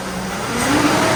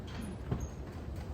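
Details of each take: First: GMC Yukon after installing a new AC Delco 15-4694 fan clutch, revving in the garage: smooth rising pitch and steady fan sound, no lingering roar or rattle; normal. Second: GMC Yukon half-ton with a cheap aftermarket fan clutch: engine catches, then a heavy rushing roar swells as revs rise and stays; fan clutch stuck engaged, not slipping at higher RPM, to be replaced with AC Delco 15-4694.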